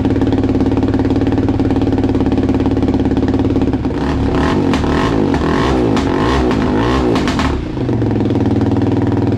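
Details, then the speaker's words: Husqvarna 701 Enduro Euro5 single-cylinder engine, formerly a 1/8-mile racer in a Duke frame, rebuilt with a 56 mm throttle body; the single thumps unevenly and stumbles when blipped, with ragged misfiring bursts, because the old fuel map no longer suits the modified intake. "Yea, as you have seen or heard, it is running, but nothing more. As a result of the complete reconstruction to this 56 throttle valve, the old map, which I still had from the old 1/8mile racer when the engine was still in the Duke frame, is of course no longer suitable."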